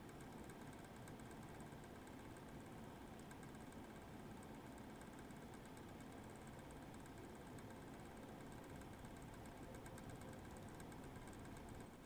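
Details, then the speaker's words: Eight-year-old MSI Radeon HD 7970 Twin Frozr III under full benchmark load, before fan replacement: rough, uneven fan roar with rattling flutter beside coil whine, growing more irregular as the GPU cools; worn cooler fan running irregularly. "you should be able to hear the irregular fan spinning separate from the coil wine okay the test is over as the gpu comes down in temp you can start to hear the fan being more irregular"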